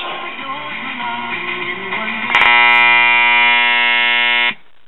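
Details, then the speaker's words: Realistic (Radio Shack) STA-64 AM/FM stereo receiver, 1977: music gives way to a loud steady 120 Hz hum from both speakers; intermittent internal connection in an Elna power-supply filter capacitor, which failed completely after resoldering. "so that proves that this capacitor is bad"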